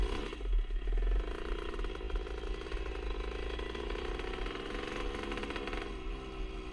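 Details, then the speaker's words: 1977 Honda CR125 Elsinore two-stroke with new HPI ignition: revving with an uneven, choppy beat that stumbles now and then; intermittent stutter, owner suspects an exhaust leak since it ran fine before the leak appeared. "you can hear it kind of stuttering a bit um some of the time but i think that's more down to the uh big little exhaust leak i've got"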